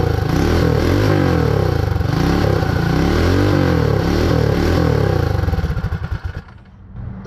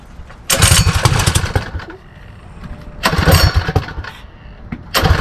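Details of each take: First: Predator 224 Max Performance Hemi minibike on first start after the build, no clutch or chain fitted. It stumbles with surging revs and backfire pops, and the carburetor leaks fuel; a stuck float or needle is suspected. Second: Predator 224 Max Performance HEMI engine on Mega Moto minibike, first start after build: three throttle blips settling to a steady, clean idle; runs well despite a fuel leak, owner suspects stuck float or needle flooding the carburetor.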